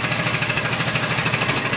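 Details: Suzuki Boulevard C50 800cc V-twin cruiser at idle before cam chain rebuild: fast, even mechanical rattle, about fourteen ticks a second, sewing-machine sound mainly from the top of the rear cylinder, where the cam chain was slapping around; stretched cam chain rattle.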